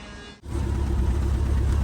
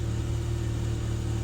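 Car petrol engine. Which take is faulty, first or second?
first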